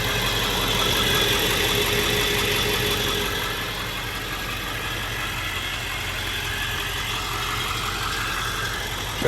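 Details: 1999 Ford F-350 Lariat Super Duty 4x4 with the 7.3 L Power Stroke diesel and 46,385 original miles, just after start-up: a steady, even idle clatter with no misses or knocks. Normal healthy idle.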